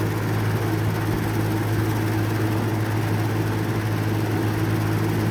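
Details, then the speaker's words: Vintage 1950s–60s FASCO 20-inch two-speed box fan with aluminium blades and venturi shroud, running on high: loud steady roar with strong low buzz; top housing vibrates and rattles the grille, while low speed runs smooth and quiet. "It rattles a lot on high. That's the this top part like vibrates a lot and it vibrates the grill."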